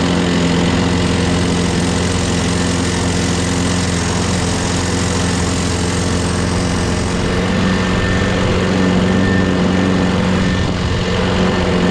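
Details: Craftsman 6.5HP Briggs Quantum FWD mower after magneto replacement and carb clean, primed three times and started on the electric key start: steady, even low drone for twelve seconds, no hunting or surging. Owner notes an unexplained clanking and that it needs priming every time.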